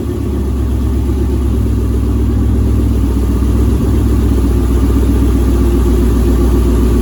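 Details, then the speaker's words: 2007 Mustang GT with swapped Coyote V8, no control pack, first start-up with custom exhaust: steady even burble at idle, smooth low rumble, no misses, ticks or knocks; sounds healthy. "sounds really good"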